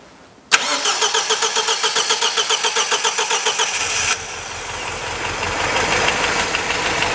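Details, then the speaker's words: 1977 MGB off the road for years, second startup with a part from the donor car and roughly set timing: about three seconds of steady cranking, then it catches into an even smooth idle, slightly rattly from tappets; running properly at last. "and immediately it's running better than it did when we did it temporarily listen to that"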